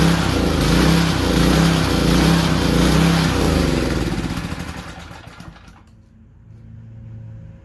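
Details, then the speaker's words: 2200 PSI Powerstroke pressure washer, warmed up, not connected to water; small engine surges for several seconds then sags and stalls, won't restart off choke; surging and stalling, carburetor fuel starvation suspected. "okay so we still definitely have a surging idle issue once it's uh warmed up I turn it off and try restart it it doesn't want to start off choke which it should if if it warms up correctly shouldn't have a problem starting off choke"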